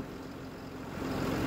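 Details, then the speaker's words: 2008-2016 6.7 Cummins tow truck with a rebuilt engine, cold start after valve adjustment and CCV filter/valve cover gasket service: low, even diesel clatter at a slightly fast cold idle with no misses or knocks; normal idle. "she's ice cold has no air little fast idle action she's warming up that gas hand works when it wants to nothing to be alarmed about"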